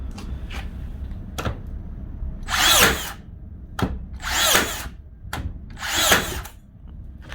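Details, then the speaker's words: Makita DBN600 cordless second-fix nailer after regreasing, O-rings not replaced: three clean cycles, quick whirr then sharp bang about every 1.5 s; fires reliably, though one nail jammed; nailer firing reliably. "she's definitely firing them shot them all that time that's definitely an improvement but it did Jam one"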